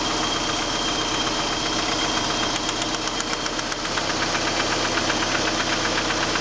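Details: 1989 Ford Probe GT at idle: steady, fairly regular deep knock about four per second; suspected rod knock, not confirmed.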